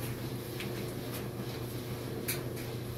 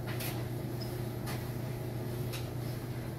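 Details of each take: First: 16-year-old dryer, loaded, after replacing all four worn drum/door glides: steady low hum and soft tumbling taps, drum spinning nicely with no squeal, rubbing or earlier squeaking. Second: Squeak about once a second over steady hum as the drum turns in a 16-year-old dryer, from four worn drum glides; replacing the glides fixed it and the squeak was gone.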